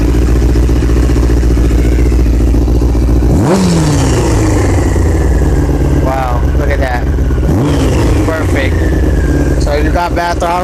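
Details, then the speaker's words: 2000 Honda CBR600 after the leaking carb boots were fixed: a low, even four-cylinder idle held at about 1000 rpm, which the owner thinks may be too low, then a few clean throttle blips with no stumble; normal idle. "all there you go finally at one sounds like it might be too low it might shut"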